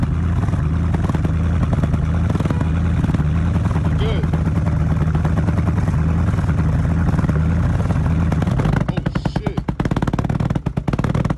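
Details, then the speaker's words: 2018 Dodge Charger R/T 5.7L V8, long-sitting wreck: deep, loud rumble with rapid popping burble at idle and crackles as revs drop; very loud exhaust, owner suspects muffler and resonator delete or straight pipe. "and yeah i'm pretty sure this car got a muffler delete because the way this [ __ ] was sounding it probably got a muffler resonator probably got all that [ __ ] cut off probably straight pipe or some [ __ ]"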